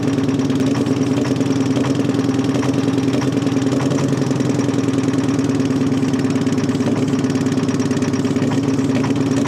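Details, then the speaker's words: Terex 80-20 diesel after sitting 30 years: low, uneven chug at slow idle with irregular pulses while blasting oil out; rough running with oil expelled, cause not yet found. "Boy, but it almost seemed like it started to go fast. And this is the thing. Look at it. Look at it just blasting oil out of here."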